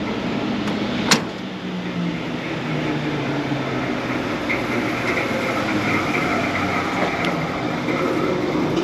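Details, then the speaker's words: PoolPak RTU 13 unit fan: heavy, steady train-like rumble under a constant fan hum, suspected failed bearing, possibly the blade rubbing; fan rumble. "That's got to be a bearing bed or something in there, huh? Oh my goodness."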